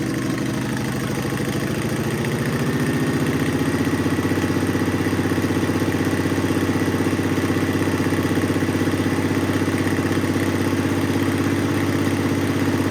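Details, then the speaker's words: Car sat almost 20 years, no radiator or fuel tank, running on a spritz of fuel: engine catches after a brief stumble and settles into a steady even idle of about four beats a second; starts and runs. "Holy shit, it runs."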